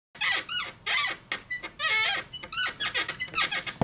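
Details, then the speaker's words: Bed frame in a master bedroom: sharp, high-pitched creaks in quick bursts as weight shifts, from the frame joints rubbing. The fix uses dry lube and felt strip. "that's a squeaky bed it's annoying it keeps you up at night and in today's video I'm going to show you how to fix it"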